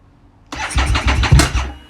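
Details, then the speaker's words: Harley Street 500 chassis (17k miles) with a fresh 750 engine (60 miles), tried after raising the IAC steps: it catches with a ragged second of firing, then fades and stalls. Owner thinks the engine displacement setting needs turning up. "come on baby stay running dammit it's trying harder"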